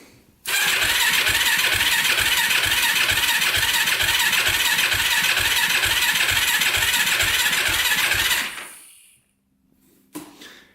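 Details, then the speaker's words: 2006 Yamaha YFZ450 Special Edition quad, once fuel was flowing down the gas line: steady slow cranking about two turns a second that never catches. Slow crank, no start; a faster jumper is needed. "go we're gonna need a faster uh starter it looks like all right we're gonna hook up a little faster jumper"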